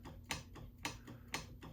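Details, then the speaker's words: Necchi 536FB sewing machine turned by hand before service, feeling tight and hard to turn: sharp ticks about twice a second follow the mechanism. Source unknown, not yet found. "I don't know what that is okay I have no idea um we're going to find out anyway um it's making whatever noise"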